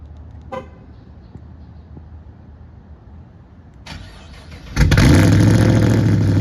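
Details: 2009 Pontiac G8 GT 6.0 LS V8 cold start at about 40°F, rebuilt after DOD lifter failure with LS7 lifters, BTR Red Hot cam, trunnions, pushrods, head gaskets, Kooks long tubes, tuned: starter whirs, barks into high steady cold idle; healthy.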